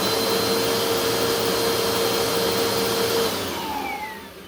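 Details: 2017 Bissell Powerforce Compact 2112 after freeing and oiling the brushroll bearings: even motor roar, steady hum, slight air hiss from a rear air leak, no rubbing or clatter, belt centered, clean spin-down; brushroll healthy.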